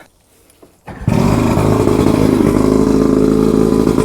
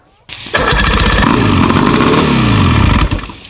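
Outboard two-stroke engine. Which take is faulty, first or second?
first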